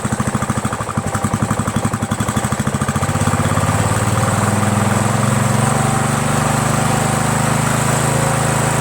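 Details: Troy-Bilt lawn tractor, 17.5 hp Briggs overhead-valve single-cylinder, after carburetor swap: thump settles from uneven pulsing into a steady, even drone within seconds.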